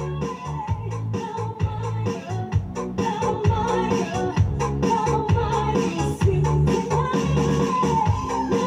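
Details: Home Vision amplifier in its final test on MP3 input after replacing the faulty main volume, balance and GRC parts that caused distorted sound: the dance track is clean with punchy bass and clear highs, and there is no rasp at volume.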